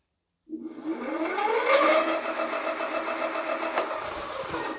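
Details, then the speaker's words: Hidoes B10 retro e-bike hub motor spinning the lifted rear wheel with no load in the highest assist level, showing 31 mph; the motor whine climbs smoothly in pitch, then holds a clean steady tone with no grinding, so the speed is not locked. "all right showing 31 miles an hour so it's not locked and that is without resistance"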